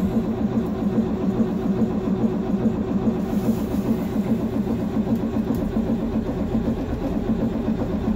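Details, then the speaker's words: 2006 Thomas-Freightliner FS-65 bus, 7.2L Caterpillar C7 diesel, cold start at -8°C after cycling glow plugs, battery sounding weak; slow, labored uneven chugging pulses with no clean catch. Hard cold start cranking. "oh the battery sounds like it's going dead oh she's not going to start today yeah she is not a happy bus today"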